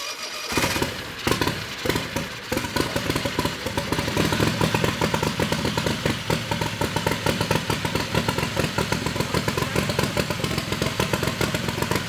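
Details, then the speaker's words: Turbo methanol Predator 670cc V-twin dragster with newly fitted Polaris RZR CVT transmission, first run in shop: rapid even firing steady after a ragged start, no knocks or grinding, running healthy. "That sounds cool. Every time. It never gets old."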